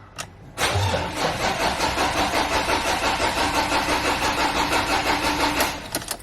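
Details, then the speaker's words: Ford Ranger 2.2/3.2 Duratorq diesel, first start after replacing the fuel injectors, following priming. It cranks with a lumpy, uneven rhythm, struggles to catch, then stops: a long crank and hard start. The owner suspects air trapped in the injectors. "i got a feeling there was a fair bit of air trapped inside those injectors so i've just you know repeated this cycle for about five times"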